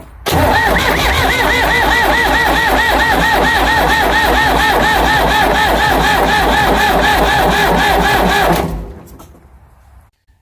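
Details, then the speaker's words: Ford 555 backhoe diesel after head reinstall, plugged fuel filter with water and sediment cleaned: steady starter cranking about three beats a second for eight seconds, no firing; injection pump air-bound from clogged filter, needs bleeding. "I have the pump air bound. Must be because it was sucking air from the filter being plugged."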